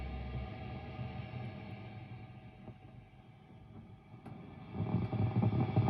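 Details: Mesa Boogie Dual Rectifier Multi-Watt tube amp idling on gain channels (raw, vintage, modern) with a hum and random crackling like bacon frying, intermittent, not on clean channel 1; owner suspects failing resistor or unchanged tubes, also pops when switching channels.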